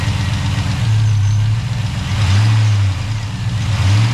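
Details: Chevy Tahoe with freshly installed ATK 5.7 LS V8 on a break-in tune, first start after rebuild: settles into a steady deep idle with even low rumble, no knocks or ticks; normal idle.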